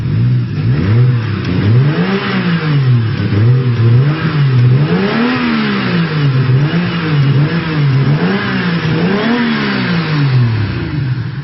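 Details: BMW E36 with swapped 1JZ-GTE non-VVTi engine and TD08 turbo kit: engine blipped up and down repeatedly, note rising and falling, yet no turbo whine audible; cause unclear.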